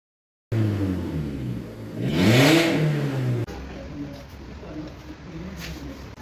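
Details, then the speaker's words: Old rotted silencer, previously welded and still leaking: loud, heavy engine drone that swells harshly on a quick rev, with noise from start-up and reduced pickup; exhaust leak, silencer replaced with a new part. "यह पुराना वाला silencer है यह पूरा गल गया था इसमें एक बार वेल्डिंग भी हो चुकी है उसके बाद भीय लिकेज कर रहा है"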